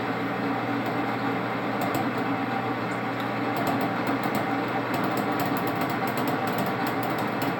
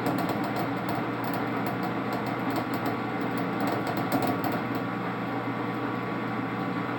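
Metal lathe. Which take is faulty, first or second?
first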